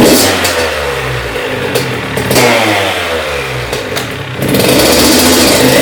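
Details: Honda CR80 two-stroke after cylinder head, studs and gasket replacement for a coolant leak from the head, restarted after cooling: crisp buzz rising and falling cleanly through blips, no misses or knocks, coolant level holding; normal running.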